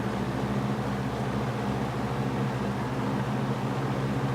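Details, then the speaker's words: Superlectric box fan with plastic motor after shaft-bearing rework with 320 grit sandpaper, on high with uneven bent blades: steady low hum with a constant airy shushing from the motor; hissing noise, bearing suspected. "anyway even blades then that's off the motor still makes that Shh sound which isn't good"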